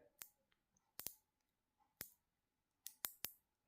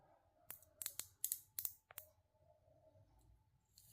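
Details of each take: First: Black Forest cuckoo clock mechanism, chain already replaced, wheel turning: sharp dry clicks, about seven in four seconds, unevenly spaced, as something catches; suspected sprocket problem, not confirmed. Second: Black Forest Hansel & Gretel cuckoo clock movement under restoration, suspected chain sprocket fault: a few crisp ratchet clicks, then a smooth, even whir. The sprocket that would not work before now works properly.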